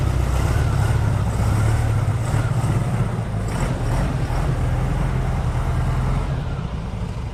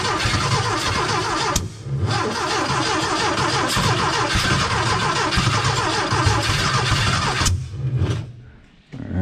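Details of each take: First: gopro's firing up we're going to do a cold start on this motor Second: Porsche 914 with new 2-liter engine, first start attempts after squirting fuel: starter spins in bursts with a few chuffs, a puff of flame, never catches; no start.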